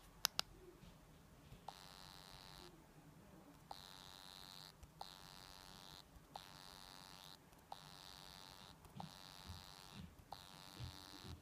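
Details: New Meizu MX5 phone: repeating electric buzz in about one-second bursts with short silent gaps, from the phone itself; cause unknown.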